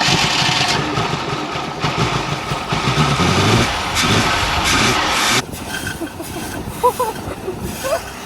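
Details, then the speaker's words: 1977 Mercury Grand Marquis parked 10+ years, spark fixed and fuel poured down the carburetor, runs ragged and uneven with an irregular beat, then sags after about five seconds and won't hold idle; owner wonders whether the fuel pump is pumping. "so luckily I figure out the spark issue now can a guy get it to run for more than five seconds"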